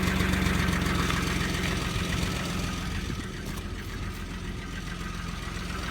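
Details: Audi V6 AAH engine, 1994, about 190,000 on the clock, cold start: steady low idle rumble with a faint regular tapping from the bottom end, around four per second; lower engine noise after cold start, source unclear.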